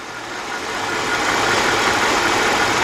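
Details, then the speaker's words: 2002–2005 Hyundai XG350 3.5 engine after timing belt and water pump replacement: soft, even, quiet idle with a steady hum and no ticking or knocking, though it ran a little rough at first and sometimes still does. "but it is really quiet"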